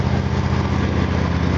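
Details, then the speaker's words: Engine idling after spark plugs regapped wider (about 0.039 in), checked on an exhaust analyzer; steady, even low idle with smooth firing rhythm and no misses, running smoother. "running smoother now mm to me yeah doesn't seem to be cold all the blood that's good thing"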